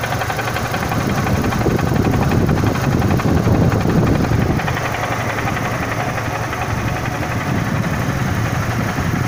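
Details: Renault Symbol 1.6 16v at idle: a quick, uneven tapping over a dull drone, an engine knock of unknown cause. The owner had replaced the rotation sensor a week earlier, suspecting the old one was leaking.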